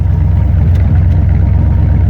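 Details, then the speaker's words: 1984 Ford E150 Econoline camper van V8, parked since 2019, running off a boat tank, warmed up: even, low burbling idle with steady firing rhythm, no knocks or ticks; healthy idle. "sounds pretty damn good for a rig that's been parked since 2019"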